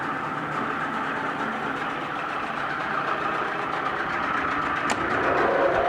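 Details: 1996 Force 40hp two-stroke outboard, 20-inch shaft remote, 145 psi both cylinders, new plugs, impeller, fuel filter, cleaned fuel system: even, steady idle burble, no knocks, misses or rattles; normal idle.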